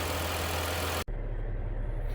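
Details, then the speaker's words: Direct-injection Cadillac just after thermostat replacement and coolant top-off, air purging: noisy cranking cuts off, then low even idle with no misses or knocks; engine runs properly, temperature stayed normal on road test. "All right, she's up and running. Just going to let her purge out a little bit of air that's left in there. And once that's all done, then we're going to take it for a road test."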